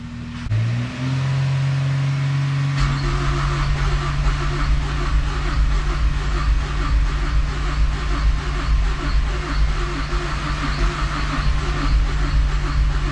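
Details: Mazdaspeed6 first start after rebuilt high-pressure fuel pump install, about 40°F outside: brief stumbling cranking, then catches into a loud lumpy uneven idle; hard starting.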